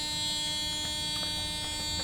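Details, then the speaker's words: 1996 Mercedes-Benz S420: steady high electronic key-in-ignition warning buzz keeps sounding with the door closed instead of stopping; cause unknown. "tell telling me that I forgot the key so this is very strange because right now should actually go away when I close the door"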